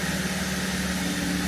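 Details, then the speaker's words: 2017 Holden Commodore SV6 with LFX V6 at a steady, smooth idle with no misses, ticks or knocks, after a service with new oil, a new filter and six new aftermarket iridium spark plugs; "she purrs." "She's smooth. Yeah, she purrs. Beautiful."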